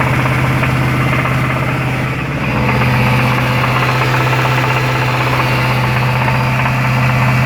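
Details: Jaguar XFR 5.0L V8 knocking at about 2100 rpm: a steady, hard rap over the engine note. Teardown found a worn big-end bearing (rod knock), caused by oil starvation after a dealership service.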